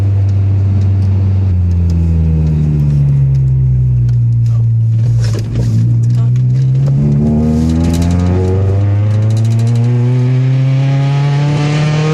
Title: Gsr misfire